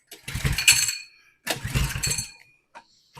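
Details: 2020 Coleman 100cc minibike, tipped over and lost its oil, throttle faulty, suspected slight hydrolock from overfueling: short pull-start cranking bursts and sputters dying each time; cranking no-start.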